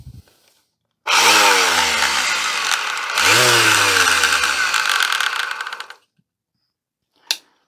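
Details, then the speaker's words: Vintage double-insulated electric sander with no earth pin, tested: two short runs where the motor spins up with a rising whir, then settles into a slightly uneven, coarse hum. It still works. Rough-running sander, cause unknown. "clamp that back there yeah it sounds a little bit rough but it's still working"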